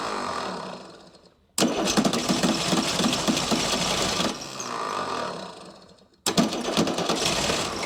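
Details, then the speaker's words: Chrysler diesel (rebranded Mitsubishi 6DS70 marine six), barn-stored for years, first start: catches in bursts, runs lumpy, dies and refires; sixth injector still not bled, air causing misfire, and all injectors need re-bleeding. "yeah they were to crack all the injectors loose again try to re-bleed all the injectors a little bit better"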